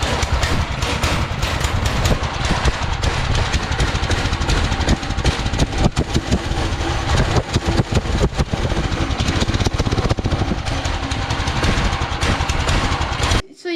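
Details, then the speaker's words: Small single-cylinder go-kart engine, before stage 1 performance kit install: runs bad and smokes, loping and galloping unevenly with chain clatter; owner thinks the knock-like sound is the chain. Rough rich idle. "Just saw the smoke that I was talking about, and this thing is running bad."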